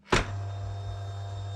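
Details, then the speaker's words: 2019 KTM 250 SX-F with a dead starter button from a broken connector wire (three of four wires missing): bike put in high gear and rear wheel rotated, a click then steady low hum as the fuel injection system primes; battery and electrics fine. "click the bike into a gear can be a high gear and then rotate the back wheel and you'll hear the injectors charge if the bike is otherwise good"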